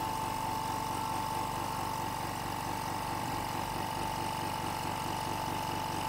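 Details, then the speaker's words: Hyundai SAC 55751 silent (59 dB) workshop air compressor running normally while filling its tank, about 1 minute to full pressure, shuts off at 8 bar maximum; quiet, even mid-pitched hum with soft regular pulsing, no knocks or rattles. "hopefully despite the compressor working and uh it takes about 1 minute for it to completely fill up the pressure"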